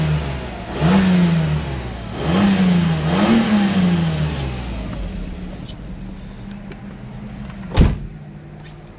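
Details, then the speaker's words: Mercedes-Benz at 203,000 km, old engine probably never rebuilt, revved in a car wash: repeated free revs climb smoothly and settle back, with no knocks or misses and little smoke; plenty of power and seemingly good compression, a healthy engine. "just giving you a sound test so you can hear what it sounds like um it's still got plenty of power sounds to me like it's got plenty of compression"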